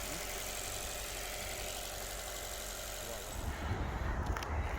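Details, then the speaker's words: 2011 Alfa Romeo Giulietta 1.4 petrol Veloce, long stood unused, finally started after many cranks: steady low idle rumble under hiss, no knocks or stumbles; idling normally. Clutch separately not working. "so the final update on this is the engine's now running so that just clearly was uh it's been standing for a while it just needed a good number of turns and then that's got going"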